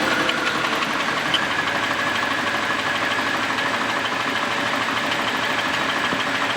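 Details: Fuel-injected Camaro first start after exhaust weld repair: loud, harsh running with a coarse clattery roar and no clean steady beat, then shuts off on its own; rough unhealthy idle, cause unclear, possibly low on fuel.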